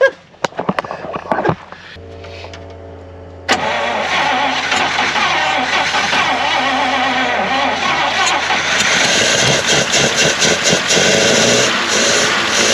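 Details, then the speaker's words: 1953 Pontiac straight-8, first run after 51 years off the road: cranks, catches and runs steadily with a rough dry scraping rub at the engine front; suspected debris behind the pulley or the generator. "Why is it rubbing? I'm telling you, it must just be junk down in, maybe behind the pulley down there or something."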